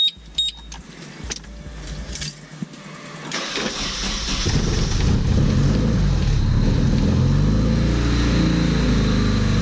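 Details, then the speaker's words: Datsun 510 first start after valve adjustment with shims and buckets: brief cranking, then a steady even idle, no valve clatter, only injector ticking, running rich at air-fuel 11.6–11.7, not yet warmed up; an exhaust leak is also present. "I guess the main thing is that it sounds good. I don't hear any valves really, but I'm gonna let it warm up before I really get excited. It sounds good though. The only ticking I hear is the injectors."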